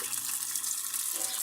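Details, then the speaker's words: Maytag Atlantis washer (fault: won't agitate, noisy on spin) on test cycle, warm/cold water: even splashing rush of water filling the tub, no hum or chatter; normal water fill. "le vamos a poner en un súper lado y le vamos a dar inicio y ahí ya empezó a llenar la máquina"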